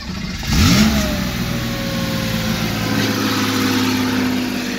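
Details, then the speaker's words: 1978 Porsche 911 SC Targa, 160,000 miles, on startup: engine catches, flares, then holds a high steady hum that barely drops; idles very high and can't be adjusted lower, idle adjustment needs attention though engine runs good. "idles very high see on the gauges not sure if the clock works"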